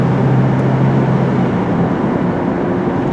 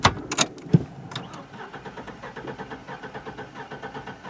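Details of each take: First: 2004 Chevrolet Trailblazer with a 4.3 V6 and a gutted front catalytic converter, in for no power, suspected compression loss under load: a steady, even full-throttle drone, no stumbles, about 200° on the gauge, no check engine light or misfires. Pulls cleanly. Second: 2004 Chevrolet Trailblazer 4.3L V6, no power, front catalytic converter gutted; after skipping on a steep uphill under load, quick relative compression test while cranking: uneven beats, some strokes weaker; cylinder 3 lost compression, suspected sticking/hanging valve.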